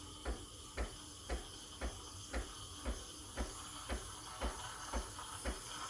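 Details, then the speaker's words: Freshly serviced, warmed-up Breville Barista Express BES870 steam wand heating milk after aerating, stopped when too hot to touch for over a second. Steady hiss with a soft even pulse about twice a second. Normal steaming. "and then i'm going to stop when i can't touch the milk for over a second so when it's too hot to touch for over a second and turn it off"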